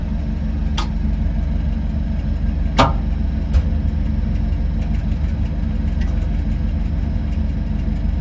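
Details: Potterton Promax HE Plus SL condensing boiler on an S-plan system, heating running: a steady low rumble from the circulating pump with a few stray clicks. Its worn bearing means the pump needs changing.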